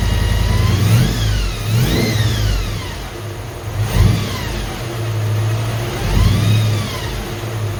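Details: Holden HQ 308 V8, first start after full rebuild to stock spec, re-sleeved standard bores, Crow Cams 5651 cam (282 duration, LSA 114), remanufactured Quadrajet carb; smooth idle rising and falling cleanly through throttle blips, no misses, knocks or rattles: normal running and revving.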